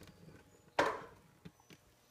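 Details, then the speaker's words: Wadkin machine motor on a custom single-phase VFD, set to 60, running the auto-tune test with the motor not spinning: one sharp click, then softer scattered ticks as current runs through the windings. This is normal. "you can hear current running through the windings as uh as it sinks so it's it's now in the mode"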